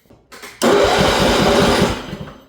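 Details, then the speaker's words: Craftsman riding mower that wouldn't crank, tested with a jumper from battery ground to the ignition coil ground side after finding smashed wires; short quick even starter churning for about a second and a half, engine turning over normally. "So there's your proof of concept. I mean, we pretty much knew it already once we found the smashed up wires down there."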